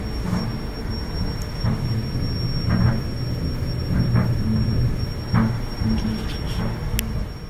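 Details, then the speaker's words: Gas dryer whistles whenever the burner flame is lit: a thin, steady high whistle over the low tumbling rumble; usually caused by a faulty gas valve assembly, which is being replaced. "I'll just give you an idea what this sounds like. So I'll go ahead and set the timer, turn it on, and here's the whistling sound."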